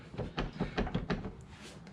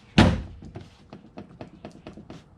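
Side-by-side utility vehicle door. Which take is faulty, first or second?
first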